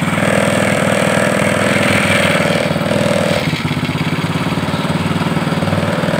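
Small single runs with a steady, even putter and no misses; after a brief dip it settles back to a smooth idle.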